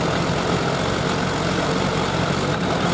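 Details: Suzuki Bandit 1200 four-carb engine idling before synchronization with gauges: slightly uneven, lumpy pulse rather than crisp even beat; carburetors out of sync, audible while running.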